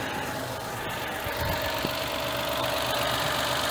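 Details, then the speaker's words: Mitsubishi Mirage at 120,413 km just after a DIY oil change with ZIC 5W-30, warming up, heard outside; even idle hum with a faint constant whine, no knocking or misses; normal idle, no leaks found. "So, yan yung tunog, guys. Normal naman."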